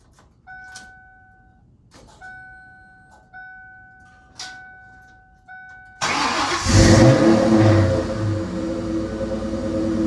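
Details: 1996 Ford SVT Cobra back from a month at the dealer after a crank-no-start: chimes, fires at six seconds, revs hard, settles to a steady even idle; runs normally.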